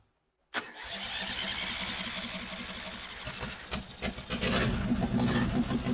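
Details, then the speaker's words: Long-dormant Briggs & Stratton 350777 1152-E1 twin on its first start running on its own fuel, leaking fuel: catches and settles into a loose, uneven putter, rough and unsettled, blowing oil out but running on its own. "Yeah, I was blowing oil out of that thing. But she's running on her own. I call that a win."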